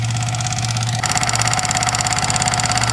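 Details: Yamaha MT-15 at idle: fast, even tik-tik ticking from the engine rides over the idle at roughly three per second; possibly worn rocker arm, tappet setting or timing chain.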